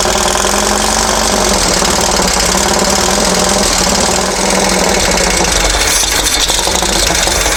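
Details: Dune buggy/sand rail engine, long-sitting, run after timing set to the pulley mark at the crankcase split on number one with the distributor loosened for adjustment; busy clatter over a lumpy idle with no settled rhythm. Rough idle, probably timing still off.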